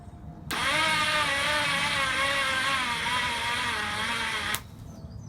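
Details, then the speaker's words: Half-rebuilt Hornet 99 engine, starter powered manually from battery: about four seconds of strained starter whine wavering in pitch as the engine turns sluggishly; owner suspects engine too tight from wrong main bearings, or the starter motor or battery. "so that star the matter is having issues turning the crank over maybe it's the starter motor"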